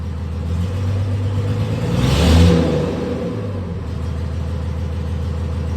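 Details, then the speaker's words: 1996 Dodge 2500 diesel with no turbo fitted after turbo failure: deep, rough, lumpy rumble climbing into a brief rev and settling back, overfuelling because there is not enough air for the fuel going in. "it doesn't have enough air for how much fuel's going in it"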